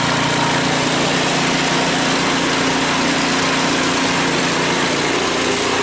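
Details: Cub Cadet 5 24 snowblower, running after a weak-drive repair: steady small-engine drone with loose rattling mixed through, from rubber pellets rolling around inside the housing; drive now much stronger.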